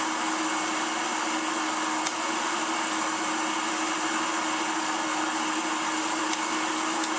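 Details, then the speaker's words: Hoover Turbomaster Electronic upright vacuum after new belts were fitted: motor hums at a steady pitch with a faint clack, but the brushroll won't start when switched to carpet; the belt shifter mechanism is not engaging. "and as you can see it did it once and then hasn't done it again oh blimey this is this is the pain with these nowadays the shifting mechanism goes all bent up and you know"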